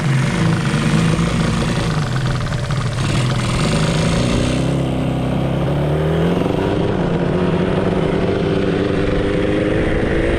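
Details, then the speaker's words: 1985 Yamaha RZ350 two-stroke twin, just restarted on a makeshift setup: revs climb under throttle with a ragged uneven note, seeming to run on one cylinder, right cylinder weaker; owner suspects a fouled plug, unconfirmed misfire. "well it's uh running kind of poorly really seems like it's running on one cylinder um the right cylinder seems to be maybe a little bit weaker"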